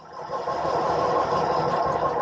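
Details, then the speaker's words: 1919 Cunningham Inside Drive Limousine, cold start attempt: steady starter whirr, engine turns over evenly but never fires; owner suspects no fuel reaching the engine and plans to refill the primer cups; crank no start. "that sounds like we're not getting fuel i will try the primer again a bit here"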